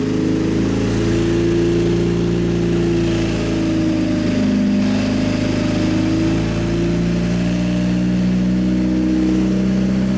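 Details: 2017 Suzuki GSX-R1000 sportbike, ride-by-wire, after ECU flash adding 4.4 degrees ignition timing; test ride under varying load listening for knock, also checked with stethoscope. Strong pull, revs rising and falling under load, no pinging or rattle; normal running, no detonation.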